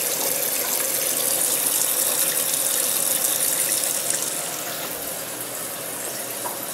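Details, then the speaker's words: Maytag Neptune MAH5500BWW washer after motor and motor control board replacement, during testing: steady, unbroken hiss of the hot water and softener fill with no buzz. Inlet valve filling normally; the test stopped after this step before the repair. "okay it just kicked off and uh now we have the uh hot water and softener is"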